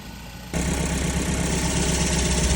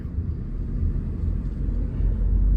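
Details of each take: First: 2012 Ford Focus Mk3 manual, first start after new clutch install: idle with fast cicada-like chirping each time the clutch pedal is released; owners think the clutch was installed backwards, transmission coming out again. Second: 2012 Ford Focus Mk3 manual on a test drive after a new clutch, shifting through fourth and fifth; low, even road rumble with no slipping, chatter or grinding, so clutch and gearbox sound normal.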